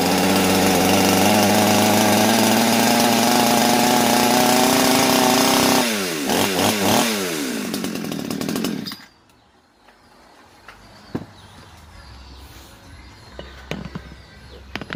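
Smooth, even high-revving two-stroke drone holds steady for about six seconds, then cuts out cleanly; the saw is running properly.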